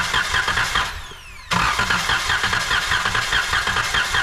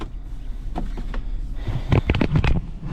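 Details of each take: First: 2012 Chrysler Town and Country van during compression test: starter cranks in two bursts with an even, steady churning rhythm, no uneven beats; this cylinder read 130 psi, normal compression. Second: 2012 Chrysler Town and Country, idle in gear: uneven lumpy idle with deep irregular thumping shaking the whole car; codes P0300 and P0302, cylinder 2 misfire, no check engine light, coil packs recently replaced; engine misfire.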